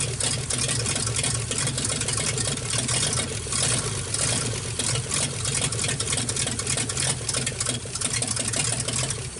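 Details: 1948 Nash engine, bored 60 over, first start after head work. The engine note is uneven and lumpy over a hissy background, stumbling as it loads up. Owner says it floods out; a carburetor kit is planned.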